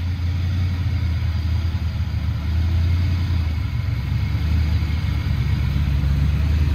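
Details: Foxbody Mustang 302 V8 with B303 cam, T5, 3.73 gears, running after sitting since about 2021; deep, steady burble with even lumpy cam rhythm, no misses or knocks, owner says it sounds pretty good, normal idle.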